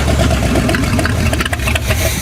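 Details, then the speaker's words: GM V8 at idle during a tune-up. It has an uneven, stumbling lope with sharp pops, a misfire on one bank; suspected causes are fuel, carburetor or a jumped timing chain. "We're gonna get it running, let it run for a bit, see how it runs. Maybe it'll clear out. Doubt it, but we'll try it. All right, you can still hear it misfiring."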